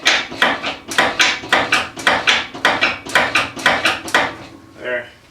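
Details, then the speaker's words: 1987 Lincoln Town Car with air suspension and loose steering: sharp, hollow, loud clunks about twice a second from the front as the steering wheel is turned back and forth, audible from far away; worn idler arm. "we feel like we hear a clunking noise from the front of the car while uh we turn the steering wheel so you know it's actually pretty bad it's pretty loud"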